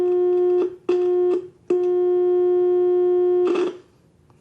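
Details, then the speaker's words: Restored CONAR Model 230 signal tracer, audio section with probe on a 400 Hz source, attenuation turned up: a clean, steady 400 Hz tone in even bursts with no hum or distortion; audio stage working properly. "over the place now when i take the probe and touch it to that we should be getting uh should hear that 400 hertz tone wow let me turn that down a little bit"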